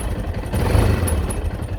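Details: Yamaha XT660Z Ténéré single-cylinder engine at idle: steady low idle with a dull underlying tapping in the beat; engine knocking at idle, cause not pinned down.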